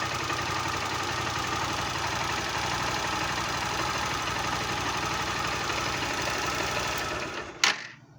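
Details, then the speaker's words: 2018 "160" motorcycle at idle: a rapid ticking clatter of about four taps a second comes from the top of the cylinder head. The cause is not yet confirmed. "barulho na parte de cima do cabeçote ali e depois vou ver com o novo vídeo mostrando como tirar esse barulho"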